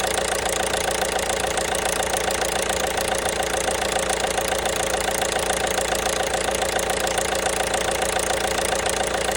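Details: 1.5 BlueHDi (DV5RC) diesel at idle with a sharp, very regular knock of roughly three and a half per second over the clatter; engine knock.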